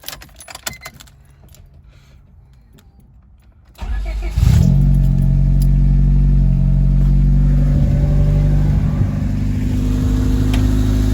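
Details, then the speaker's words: Honda D16Y7 after budget homemade short ram intake install; key turn, quick crank and catch, then steady even idle with slightly louder intake hum, warming 5-10 minutes, no check engine light; healthy. "So the cars are warming up for about 5-10 minutes or so. No check engine light, anything like that."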